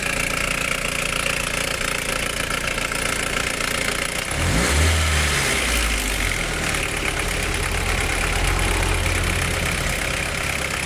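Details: 1991 Nissan Primera P10, GA16DS carburettor engine, 97 hp, with a history of carb cold-start air-valve problems and a botched carb repair: uneven idle with a rough metallic rattle and a brief rev; timing chain suspected, source unconfirmed.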